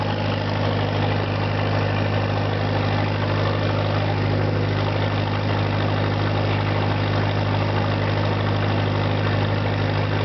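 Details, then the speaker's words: 1963 Lincoln redface SA200 200-amp welder with a rebuilt Continental four-cylinder and rebuilt generator, started by ignition switch and starter button: steady, even low rumble with no knocks or misses, a smooth, healthy idle. "Hang on here, we got to turn on the ignition switch and press the starter button. Away she goes."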